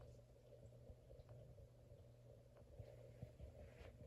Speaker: But when it's quiet, you can hear this reverberating throughout the entire basement. This thing is quite noisy.